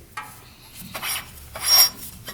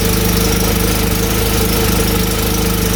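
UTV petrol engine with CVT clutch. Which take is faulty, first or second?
first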